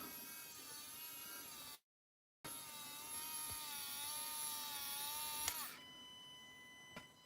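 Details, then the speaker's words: Axial SCX10 RC crawler winch: thin high electric whine holds steady while the trim is off-centre, then cuts out abruptly once the trim is turned back to centre. "then I just turn it till that noise goes away"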